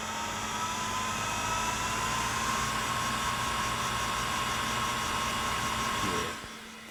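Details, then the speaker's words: Real hard drive powered from the same power supply as a Multitech MPF-III Apple II clone test: steady whine rising in pitch then holding level over a faint hum; healthy spin-up and running. "uh but in the meantime I've got this so you'll hear this spinning up it's pretty awesome actually"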